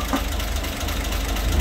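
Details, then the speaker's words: 1960 Grumman Olson Kurbside step van at start-up after new belt, thermostat, radiator cap, coolant and tune-up parts: low, rough petrol idle with a loose metallic rattle from the valve cover, whose bolts need to be put back. "Y ese ruido de traqueteo es la tapa de la válvula."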